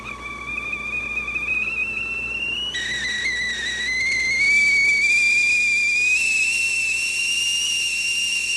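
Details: Revere Ware kettle after repair, with the fallen perforated cup bolted back in place: a clear, high whistle rising in pitch and volume with a steady hiss; it whistles properly.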